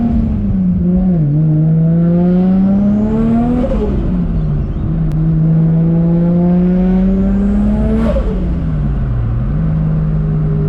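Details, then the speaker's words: Forged RB25DET R33 Skyline (about 550hp) on a test drive after its hydraulic lifters were cleaned and re-bled: revs climb and drop smoothly through gear changes with no valvetrain tick. The previous lifter tick is gone; normal running. "so dudes i just got back from my test drive do you hear that noise i don't either man the ticking noise is actually gone"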